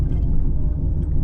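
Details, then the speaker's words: Lexus RC F at about 20 mph: low steady rumbling hum with faint rhythmic thump from the rear; rotational noise, hub bearings or tyres suspected, testing whether it is the hubs. "Going about like 20 miles an hour, and you could clearly hear the sound. It sounds like it's coming from the rear."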